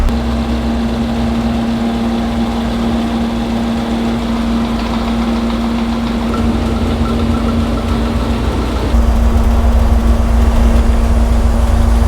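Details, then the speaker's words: 1970 GTX 440 V8 on the dyno before rebuild, idling at 850 rpm, choke tied open: deep steady burble, smooth, no knocks or misses; oil pressure 40 psi, air-fuel ratio good; timing found at 50° full advance, backed to 34°; normal idle. "Well, the oil pressure is good. We're at 40 pounds at 850 RPMs. Everything's good so far. Air fuel ratio is good."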